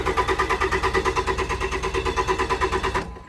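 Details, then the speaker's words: Cheap Cummins diesel truck that a previous owner couldn't fix, injector issue suspected: strong, even cranking at about three compressions per second with a hot battery, stopping without firing; turns over but won't start. "Okay, so it turns over pretty good. It does. And good news is it's got a hot battery, it seems like. So we should be able to get this thing to fire up with some starting fluid."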